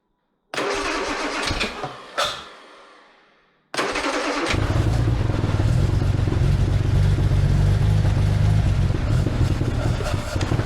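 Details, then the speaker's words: Armstrong Siddeley Special, not driven under its own power for many years, restarted after lowering a carb float. It catches briefly, dies, then idles lumpy and uneven. Owner suspects the points have moved again and thinks a fuel pressure regulator is needed after the pump. "Oh, that's not happy again. Right, better check the points haven't moved again like they did last time."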